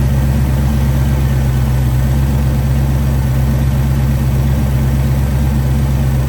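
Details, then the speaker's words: 1941 Willys hot rod with V8 and factory GM rubber balancer, mixture possibly a little rich: deep steady idle, even rumble, no knocks, but revs sluggishly and won't pull hard; timing suspected, balancer mark reads 60°, possibly slipped. "But it revved out a little more that time, but it feels like it's a dog. It's not It's not pulling as hard as it should."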